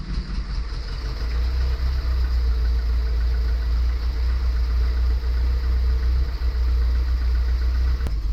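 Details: 1977 Triumph TR7 fed from auxiliary tank via mechanical fuel pump, after easy-start attempt: catches quickly and settles into steady even idle without misses or knocks; viscous fan found broken and rattling.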